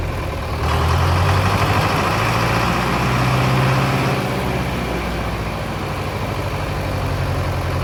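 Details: Mid-1960s John Deere 3020 tractor diesel restarted after sitting 5 years: steady, even chug at low idle with a regular firing beat, no misses or knocks; idling healthily.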